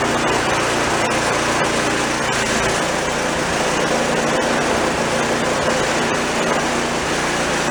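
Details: A free, previously broken-down small single-cylinder snowblower engine, being restored with belt engagement via spring rather than direct cable, fires and holds a busy, steady run with no obvious knocks or stumbles; engine running.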